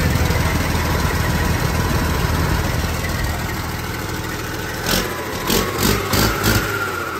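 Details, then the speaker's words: Truck's first start on a new Detroit diesel engine with a reman Detroit computer. A steady low diesel clatter settles into an even idle, with rhythmic bursts near the end. It shows 65 psi oil pressure; sounds good. "It's alive, baby! Woo! Holy crap, there she goes. She's alive."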